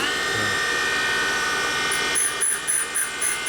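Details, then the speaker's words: 1979 Harley shovelhead 80ci rebuild, valve grinding: grinder hums steadily then regular chunk-chunk about four times a second as stone hits a high spot, repeating in same place, so the valve is out of true. "Obviously, you can hear the high spot. Yeah, that was pretty loud. High spot. Yeah. Big time."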